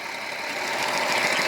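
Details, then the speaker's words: 2007 Jeep Wrangler Rubicon Unlimited 3.8 V6 with P0302: uneven, lumpy, stumbling idle; no spark from cylinder 2, coil pack suspected and later replaced, which cured the miss. "see is what I'm seeing is how we're not getting no spark out of number two I think it's going to be a pretty safe safe bet right now to call that coil being"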